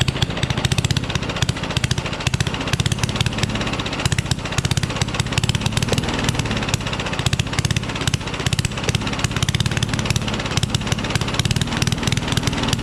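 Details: Rally push mower, Tecumseh Eager 1 engine, no muffler found: loud, uneven popping beat from a small single, firing stumbles and surges; runs badly, starts with starting fluid, needs work.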